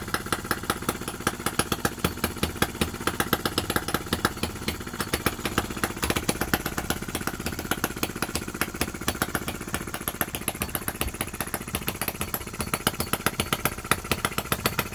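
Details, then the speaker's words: Miniature Lister D working petrol engine (OKMO/Retrol), very first run right after first-pull start, with fresh sump oil, petrol and hopper cooling water: quick, even popping at a steady pace, no misses or knocks. Single-cylinder running cleanly, normal. "How was that first start? This sounds so fantastic running."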